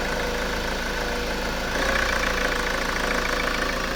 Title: Honda Accord 2.2 ctdi rough idle